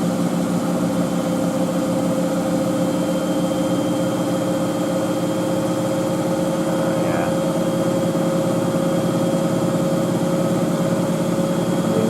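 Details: Miele W562 Prestige Plus 6 washer, large towel load on Cottons 95°C with Water Plus, Tide HE detergent: even steady hum, stable motor whine, no thumping or scraping; drum holding a normal full-speed spin.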